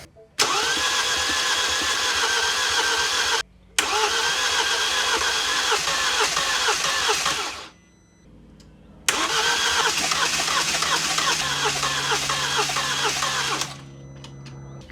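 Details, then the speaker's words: 2013 Mini N47 diesel after timing chain job and engine refit, first start attempt with mass airflow sensor not connected: starter churns about four beats a second through two long cranks, building compression on a couple of cylinders without catching; long crank before starting. "it took a while to build compression there now I think it's got compression on a couple of cylinders and it's trying to go"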